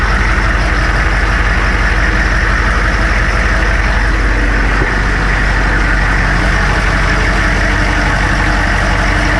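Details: Military Humvee (HMMWV) diesel just after replacing the leaking block-mounted fuel transfer pump, started to check for leaks; it had cold-start issues. Deep, even diesel clatter settling into a steady idle with no stumble or miss. Normal idle.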